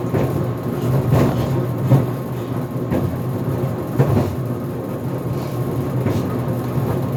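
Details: GE Profile Harmony dryer on the cooldown of a sneakers cycle (11-minute dry time, no extended tumble). The tumbling drum hum is broken by heavy irregular thumps about once a second, and the door pops open near the end.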